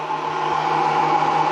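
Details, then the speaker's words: 1000 watt power inverter in a 2008 Fiat Rimor motorhome cupboard, solar-powered: steady fairly high-pitched whine over a constant low hum, audible even with cupboard closed; owner unsure whether this noise is normal. "so yeah, this is a 1000 watt power inverter. The only problem I have with it, it's quite noisy."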